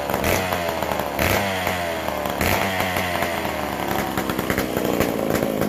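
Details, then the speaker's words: McCulloch Super Pro 125c chainsaw on first fire after cleaning, a new intake boot and a modified new-old-stock muffler (gasket leak pending), after adjusting the idle mixture: revs up and drops back cleanly with a crisp, even buzz. Running smoothly. "Hopefully, we'll be right back to pulling her over. That sounds a lot better."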